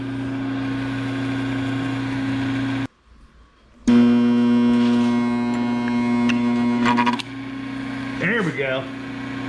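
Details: Cutaway single-phase motor with busted starter switch, restarted after having started in reverse: steady low electrical hum with clean even tone; now spinning the right direction and running smoothly.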